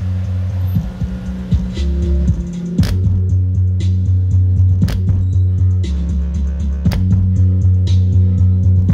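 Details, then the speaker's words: Range Rover Evoque factory door speaker playing music: bass notes buzz and rattle instead of sounding clean; blown mid-bass distorting while tweeter is fine, to be replaced with a same-pattern mid-bass. "ó Twiter as frequência mais alta não tá distorcendo sou b então tem que colocar outro altofalante do mesmo padrão"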